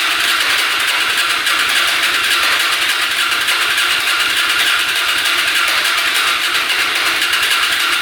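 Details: Hyosung Aquila 250cc motorcycle, fresh oil, fuel pump working: fast, even starter whir, about 3.5 turns a second, with no firing; fuel leaking out of the exhaust pipe, engine flooding.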